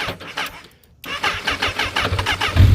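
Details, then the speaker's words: Newly bought used motorcycle with nearly dead battery: sluggish, labouring starter at about five strokes a second before it finally fires; should start readily with a fresh battery. "Yeah, the battery's almost dead. As you can see, she'll start up with a fresh battery."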